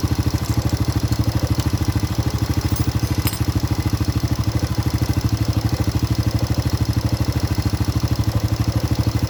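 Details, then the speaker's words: Honda Supra Grand carburetted motorcycle with black, fouling plugs: an even exhaust beat of about three pulses a second with no stumbling. The idle is healthy. "Oke, suaranya sudah berubah, tidak seperti sebelumnya."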